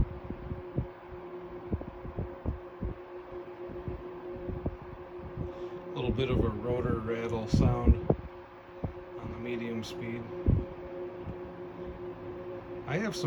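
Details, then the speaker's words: 1973 Frigid (Mitsubishi) GT16-S 16-inch oscillating fan, motor serviced and oiled, on medium speed (about 980 ft/min): steady hum with loose clunky clicking rattle, typical until warmed up, gone on high; rotor rattle, cause unknown. "fans that do that. They make that same sound. It's kind of a clunky rattle sound until the fan warms up. It seems like once after they get warmed up, then that noise goes away and they just run smooth."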